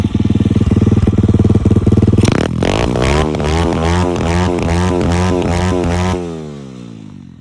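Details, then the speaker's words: Single-cylinder dirt bike with a new 26 mm racing carburetor, racing CDI and 17-tooth front sprocket, free-revved after a test ride. Thumps at idle, then revs rise quickly and cleanly and fall away evenly with no carb bog or hesitation. "The sound of the bike also changed, and also I'm gonna rev the bike, and you're gonna hear the carb have no bog in it, guys."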